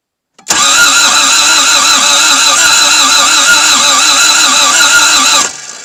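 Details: Toyota MR2 AW11, start attempt after new fuel pump: steady starter whirr with even cranking pulse about five seconds, never fires; cranks, no start, cause unconfirmed, spark to be checked, possible grinding noise after attempt.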